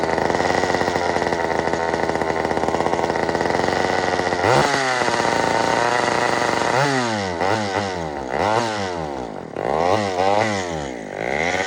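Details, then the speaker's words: Old Sears Explorer II chainsaw after carburetor cleaning: steady high buzz, then revs swoop up and down about once a second as it runs out of fuel; nothing else wrong. "now it's out of gas what does that weird reving thing like that don't worry there's not nothing wrong with it it's just out of gas"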